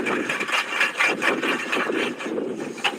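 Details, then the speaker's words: Rhythmic dull knocks about twice a second as a front wheel is rocked by hand, with severe play that was not present a month earlier; a worn front wheel bearing is suspected. "um this wheel is moving like really bad holy crap y That's a front wheel bear"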